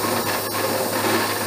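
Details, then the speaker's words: Abene mill cutting key slot in broach bushing at slowest table feed: harsh rasping buzz with rough high ring, steady through the cut; chatter persists, cutter suspected not sharp and bolts had loosened. "this is the slowest table feed i can do let me try slowing her down just a little more well slower way down but i'm still getting some chatter"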